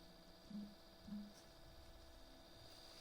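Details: New Redmi Note 11: a faint constant low hum with two brief clicks that appears after leaving YouTube or a game. It persists after a system update and cache cleaning; only a reboot helps. Cause unknown.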